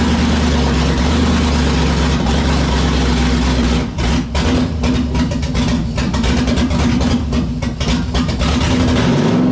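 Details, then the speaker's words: 5.3 LS-swapped 1948 Dodge pickup with new replacement injectors: rough, uneven running with a thin steady whistle that rises near the end; air is being sucked through an uncovered hole at the back of the intake after its tape was removed. "Can you hear that whistle? Is it the air cleaner? Scotty, remember that tape you took off the back of the intake over that hole? Yeah, we gotta put something back over that hole."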